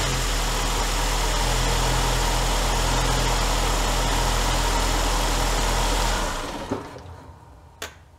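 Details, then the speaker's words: 2003 Saab 9-3 convertible four-cylinder just after new BCPR6ES-11 spark plugs gapped at 1.0–1.1 mm; smooth, even idle with no misfire or stumble, then clean shutdown; healthy normal idle. "sounds good button her up"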